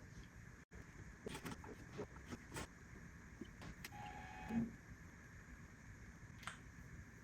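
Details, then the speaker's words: Apple G4 Cube optical drive after a restore disc is inserted: quiet hum with irregular sharp clicks and knocks plus a brief motor whir as the drive fails to pull the disc fully in, while the hard drive also sounds unhealthy. "it probably hit the disk it doesn't sound good I don't think it pulled the disc all the way in okay that's not a good sign"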